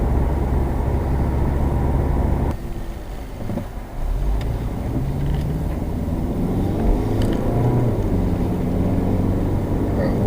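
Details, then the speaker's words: 2007 Subaru Legacy test drive after the front wheel bearing replacement: road and tyre noise with no droning howl rising with speed, so the bearing is now quiet. A separate strange whistle persists, unrelated to the bearing. "We don't have any bearing howl, but we still have that strange whistle."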